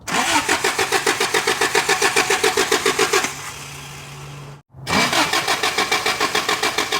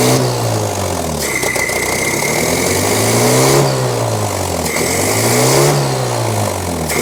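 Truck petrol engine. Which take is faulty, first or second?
first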